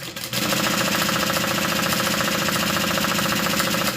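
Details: Sewing machine knocking fast and evenly at about three to four beats a second while stitching, louder than normal clatter; owner says it's not supposed to sound like that and needs fixing.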